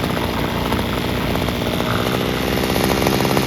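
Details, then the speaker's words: Free Homelite string trimmer, two-stroke, fixed by adjusting the carburetor air-fuel mixture screws and idle screw (carb not cleaned): high, steady buzz at full throttle with no bogging or surging, running properly and sounding pretty good. "Don't you just love the easy fixes? So now that we've heard this, it actually sounds pretty good."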